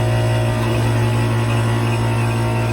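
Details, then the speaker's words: Central AC outdoor unit on a triple-digit day: steady strong buzzing hum from the condenser fan motor, powered but not turning; it spins and blows warm air only when pushed, caused by a failed capacitor. "you see you can hear the noise it's trying very hard the phone is not turning actually"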